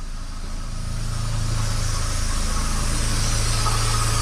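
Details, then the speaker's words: Mazda Miata (NA/NB, timing-belt engine) at steady idle: a subtle, intermittent light rattle from under the timing covers that comes and goes; suspected worn timing belt tensioner. "there it is that's the sound all right well hopefully you guys could hear that but yeah it kind of comes and goes so can't always catch it"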